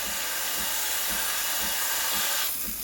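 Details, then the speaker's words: Breville Barista Express BES870 steam wand, tip near the milk surface injecting air: loud steady hiss with soft pulsing about twice a second, then dropping off; strong, normal steam flow. "Can you hear the hissing sound? That hissing sound is what creates that thick, bubbly texture."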